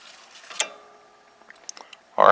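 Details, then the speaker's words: Kubota L3200 HST tractor pedal safety switch after adjustment: a single crisp click as the pedal is released and contacts the switch plunger, then quiet; switch engaging properly, normal. "i don't know if you guys can hear this on camera but another good indication you'll hear a click when it comes in contact with that plunger so go ahead and do it maybe we can hear it release"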